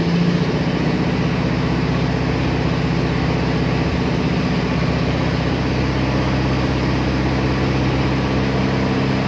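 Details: Toyota Tamaraw FX petrol engine after a cranking no-start, fixed by moving the yellow ignition wire to a positive terminal to power the ignition coil; steady, even idle in neutral, no misses or stumbles, running smoothly.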